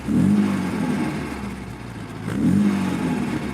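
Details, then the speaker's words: Old MGB GT carburettor engine just started from cold with the choke pulled out and the fuel pump audible: fast, steady high idle with a slight surging rise and fall, normal for choke warm-up. "then you're able to start the engine from cold hear the fuel pump going revving high there's too much air going in so what you have to do as it gets warmer you slowly put the choke back in"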